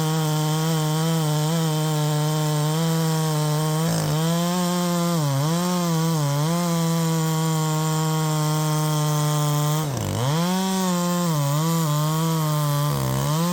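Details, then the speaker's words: Poulan Pro 5020 chainsaw cutting at full throttle: steady high note dipping and sagging under load, pitch dropping hard around ten seconds; bogs and cuts out as if running out of fuel, cause unconfirmed. "it's like it's running out of fuel it's exactly like it's running out of fuel so you know we're getting all down into the cut and stuff and then right here you hear it cutting out I'm not letting off"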